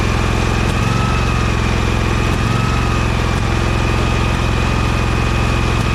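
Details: Husqvarna 2346XLS lawn tractor idling after the second ignition switch was removed and its wires joined, stator charging the battery: even, steady single-cylinder putter with no misses, knocks or surging; normal idle.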